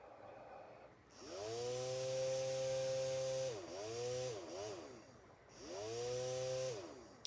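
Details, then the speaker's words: Thermostat-controlled brushed DC fan (Arduino Uno, H-bridge) triggered by breathing on the temperature sensor; it whirs up, drops away and restarts as the reading fluctuates around the cutoff before shutting off. Normal fan. "so the sensor is right here we got our indicator led and since it's pretty sensitive again if i just breathe on it it should activate"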